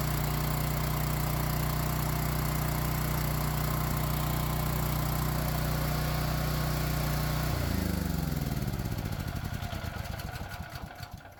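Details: Power Stroke 6000 W generator, 389 cc, after carburetor clean and fuel filter replacement: even steady engine drone with no misses, then slows and coasts smoothly to a stop at shutdown; runs normally.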